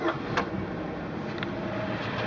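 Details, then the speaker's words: 2001 Chevy Malibu: dull isolated clunks over idle as the steering wheel is swung back and forth, also over bumps; cause a loose passenger-side steering rack mount on the subframe; ball joints and tie rods checked fine. "so if you swing the wheel back and forth you can hear the clunk pretty readily"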